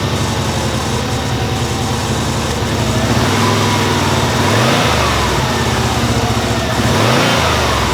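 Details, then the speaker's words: Subaru Legacy B4 RSK (BE5) twin-turbo at first start-up after sitting, fuel pump relay refitted: slightly uneven idle with a steady whirring rattle from a noisy AC compressor pulley; owner expects the roughness to smooth out; timing belt due. "AC compressor pulley is making some noise, that is what you are hearing."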